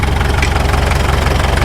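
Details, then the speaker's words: 1951 Caterpillar D2 crawler diesel after first start: slow loping idle with heavy even thumps near stalling; engine shuts off before reaching low idle detent, low idle set too low, fixed by turning low idle screw. "Let's check low idle. Okay, we're shutting off before we hit that detent. I know just how to fix it."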